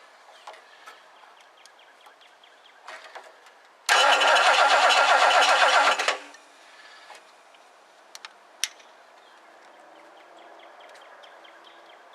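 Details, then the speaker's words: 1969 Lincoln Mark III after belt tightening and distributor cleaning: about two seconds of steady cranking at roughly four beats a second, no firing; crank no start, no spark, owner suspects worn-out coil. "we're going to go ahead and fire it up and see how it works hahaha I got no spark"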